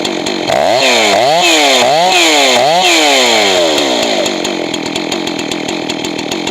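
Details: Johnson Red 670 chainsaw with rebuilt Tillotson two-stroke carburetor: revs climb and fall in screaming lean bursts, then settle into lower burbling rattle as high-speed mixture is richened; should end slightly rich.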